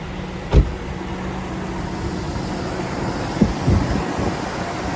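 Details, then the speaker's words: 2004 GMC Yukon V8 after fuel injector replacement, bank cylinder three previously troubled: deep, steady idle with even beat, no misfire stumble, couple of small clunks, no leaks; idle slightly improved, normal. "so we didn't mess with that connection but it looks fine no leak idle sounds a little better maybe"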